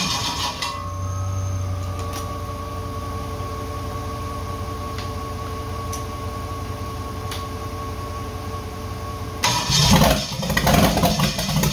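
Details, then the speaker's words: Holden 4.2L 253, first start after rebuild (sat 25 years), on engine cradle with HQ wiring harness: starter whirs, engine turns over without catching, then a brief rough burst; no fuel reaching the carburettor, pump not drawing fuel up. "sounds like I want the fire but um sounds like I don't have any fuel up here that pump should have suck it up there really quickly I have no fuel down there"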